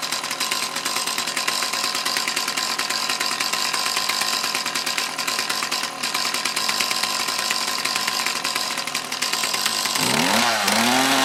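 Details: Mantis tiller with two-stroke Kioritz Echo engine after cleaning fuel lines and carburetor area to cure bogging under load: revs high and steady with a buzzy, even note, no bog on acceleration; normal running, idle still slightly off.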